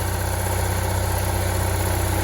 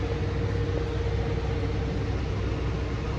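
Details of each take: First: Onan generator in a Barth motor home balanced at 120 V after carburetor adjustments, both ACs full blast and the inverter on. A loud, even drone with a steady pulse and no hunting or surging: normal, smooth running under full load. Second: Onan generator in a Barth motor home powering an Emerson Quiet Cool AC on full blast with full fan; voltage dips toward 125–130 V. A steady low drone holds speed under heavy load with no hunting; the governor adds throttle but is slightly misadjusted.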